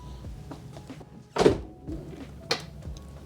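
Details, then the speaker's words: 2004 Mercedes S-Class (W220) door after a new door lock assembly was installed: a soft thunk, a short pause, then a firm clunk as the soft-close draws the door fully shut; soft-close, lock and unlock all working. "soft close works Lock Works unlock works that [Music] works and side handle works and yeah perfect"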